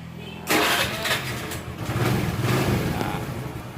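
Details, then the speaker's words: Motorcycle that intermittently would not crank though the speedometer lights came on and the battery was about 6 months old: quiet lead-in, then starter catches and engine runs unevenly; intermittent starter engagement traced to a loose, unstable fuse socket and holder. "nah ini masalahnya posisinya sering ada begitu seling kadang bisa kadang tidak gitu intinya dari kelistrikan gitu teman-teman"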